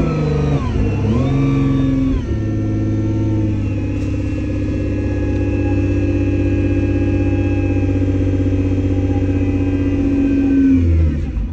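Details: Nissan GT-R R35 with code P1220 (fuel pump module) and a blown fuel pump fuse, pump wired directly to the battery: engine catches, revs up briefly, then holds a smooth steady idle with no misses or knocks; normal running.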